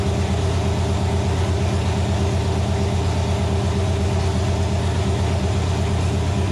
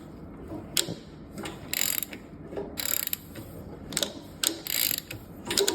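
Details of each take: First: Nova engine, first start on the stand after six months of troubleshooting: loud, steady low rumble with an even firing beat and no knocks or misses. Runs healthy; a gauge suggests a possible wiring issue. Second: Nova engine on a stand, turned slowly by hand with oil pump and covers off: bursts of sharp metallic clicks and rattles at the front; the timing chain seems to jump a tooth and poke out, with the bottom gear possibly too far on or off center. Suspected, not confirmed.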